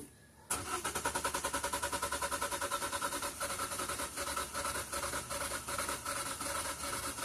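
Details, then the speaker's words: 2014 Kia Forte after a new fuel pump was fitted, a part possibly not fully seated: the starter spins the engine at an even two to three beats a second but it never fires. "I'm not even hearing the fuel pump turn on. So, let's go double check our fuel pump fuse."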